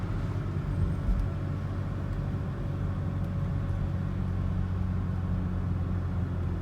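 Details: 2008 Volvo XC90 with Haldex AWD, driving after CV joint replacement. A steady, even road rumble at cruising speed with no clicking or clunking over bumps; the driveshaft and suspension sound healthy.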